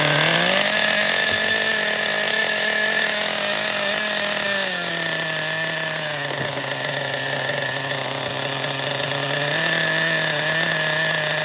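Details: Vintage Schumacher XTR-3E (began as a 1991 Nitro 10, fitted with a big engine, small tank, three-speed gearbox), carb opened slightly: a high buzz holds steady, then pitch drops as it shifts into third; running real rich until it runs out of fuel.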